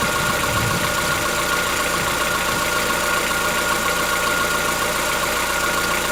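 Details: Chevrolet Onix 1.4, 2014-15, petrol, cold start: light, fairly even ticking at idle over a steady hum, lasting about 10 minutes. Present since 0 km and growing yearly. Owner suspects a tappet or internal knock, not injectors; dealers call it characteristic. Cause unconfirmed.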